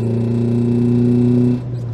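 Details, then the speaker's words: Renault Twingo 1 with 740,000 km, not driven for 2 years with two-year-old fuel, new battery and ignition coil, climbing a hill stuck in 3rd: engine drones hard and flat, then drops off while struggling, with loss of power. Cause unconfirmed. "oh là là le bruit oh la vache là je suis dans une côte je suis bloqué en 3è ah oui bah fait du bruit ma voiture"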